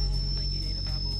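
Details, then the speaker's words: Car audio build with mids amps switched on: a thin, steady high squeal near 5 kHz over the music on the left channel only, right side silent. Left-side RCAs likely loosened after crossing a railroad track; swapping them is the planned fix. "the left channel. They're all squealing. The right side's perfectly silent. So the left side RCAs are bad again."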